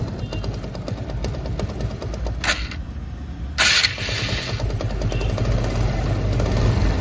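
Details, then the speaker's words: TVS Apache RTR 160 BS4 single-cylinder at idle: loose metallic rattle that softens when revved and returns when throttle is released; bike also gives white smoke; engine opened. "जैसे मैं race बढ़ाता हूं तो आवाज कम हो जाती है और रेस छोड़ते ही आवाज बढ़ जाती"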